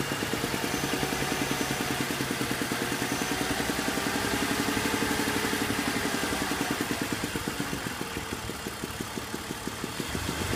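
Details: BMW 330i petrol engine idling with a slightly uneven, stumbling beat and an occasional skipped exhaust pulse; slight misfire with no check engine light and RPM unchanged.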